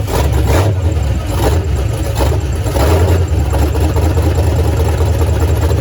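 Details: Foxbody Mustang, freshly installed 331 stroker V8 with Comp Cams, T5 manual, first start: catches and settles into a deep, lumpy but steady idle with an early throttle blip; sounds healthy.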